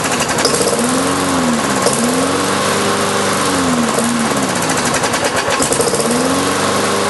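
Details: Briggs & Stratton engine on a Lawn-Boy mower deck, sat since March, 89 octane with Marvel Mystery Oil: repeated pull-cord sweeps with sputtering that never settles into a run; hard starting, owner suspects carburetor diaphragm.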